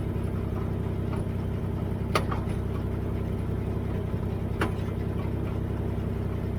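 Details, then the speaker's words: Dodge at idle: steady idle broken by occasional sharp clunks, about two in seven seconds, not tied to engine beat; owner locates clunking in the rear end and suspects the rear end is going. "clunking located in rear end, rear end is going"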